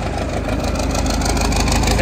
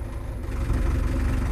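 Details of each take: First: Case 8840 swather diesel, old and probably using a little oil: steady, even low rumble at idle with no knocks or misses; it sounds healthy and runs well. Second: Case 8840 windrower diesel: deep rumble sags and labours while trying to lift the header, engine idling down under load; bog attributed to low hydraulic fluid.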